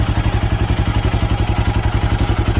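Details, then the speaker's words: Royal Enfield Himalayan 450 single-cylinder idling with an even deep thump: the earlier tappet ticking is gone after the engine head was replaced under warranty. "So ನಾನು ಆಗ್ಲೇ ಹೇಳಿದಂಗೆ engine tap it noise ನಿಮ್ಮ engine ಇಂದ tick tick tick tick tick tick tick ಅಂತ sound ಬರುತ್ತೆ ಆ sound ಇವಾಗ ಇಲ್ಲ ಕೇಳಿಸಿಕೊಳ್ಳಿ ನೀವೇ ಕೇಳಿಸ್ತು ಅನ್ಸುತ್ತೆ"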